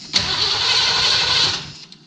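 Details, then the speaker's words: 1978 Ford E150 Econoline given a little fuel after starting fluid; owner suspects it isn't getting fuel because of the tank or a dry, unprimed pump. A short hissy run of about 1.5 seconds that fades out without idling. Starts, then dies. "she ran a little bit longer than i thought it would but i was hoping around a little longer"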